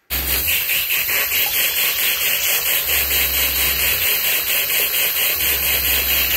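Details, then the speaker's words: Camper van 12V Shurflo 2095 water pump with expansion vessel on cold circuit, tap partly open: continuous water hiss over low pump hum, no rapid on-off clicking; vessel buffers pressure rise so flow stays steady, no short cycling. "voilà donc le base avec la contenance du base ça temporise un peu le la montée en pression de la pompe et elle ça évite qu'elle fasse du on offre tout rapide"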